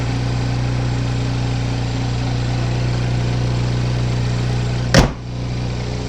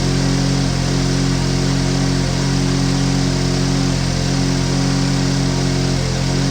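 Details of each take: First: 2015 GMC Terrain petrol engine idling, mic outside on the car: smooth steady low hum with no knocks or ticks, sounds healthy; a muffler exhaust leak is noted. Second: 2015 GMC Terrain with a P0010 code, idling with the mic outside: steady loud idle with a deep raspy rumble and rhythmic puffing from a split in the side of the muffler, while the engine itself sounds quiet; exhaust leak.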